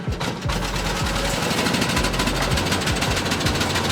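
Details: Small engine, started on choke after sitting a long time: catches and runs with a fast, slightly uneven chug; a normal start on choke.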